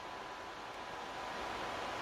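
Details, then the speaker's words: PS5 after deep clean, thermal pad and liquid metal cooling upgrades, fan speed turned to maximum: steady, even jet-like rush of air with no rattle or pulsing; fan healthy at full speed. "there we go guys it's like a jet engine all right that's that ramped up to the Max and there is a massive massive significant amount of air coming off that"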